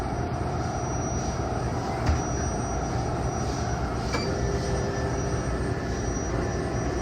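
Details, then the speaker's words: Turbo Air M3 walk-in freezer compressor (R404A) after replacing a failed Supco 3-in-1 hard start kit that passed no current: the compressor starts and holds a steady low rumble with no clicking or stalling. It now runs normally. "好，转了，转了，就是那个东西坏了，就是这个3合1的那个东西坏了。"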